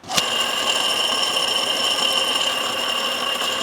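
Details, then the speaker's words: 2006 Chevy Silverado 2500HD LBZ Duramax, AC compressor pulley spun by hand: dry, high, gritty rattle that continues as it coasts, from the AC clutch pulley bearing; the clutch and pulley assembly was replaced. "Judah reached over and he grabbed my AC pulley and he spun it and it made this noise."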